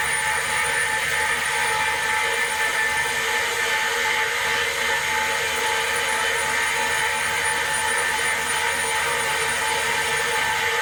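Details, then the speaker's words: Valve grinding machine refacing a valve, about 0.75 thou runout: steady high grinding hiss with uneven catch each turn; bent valve contacting the stone unevenly. "that one was actually bad enough you could probably hear it"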